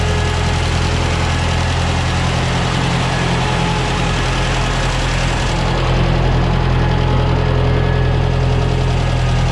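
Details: 1968 Ford 5000 diesel tractor, barn find sat 10 years, first run after restoration work: deep steady diesel idle, even low thump, normal injector clatter, no misses or odd knocks; sounds good.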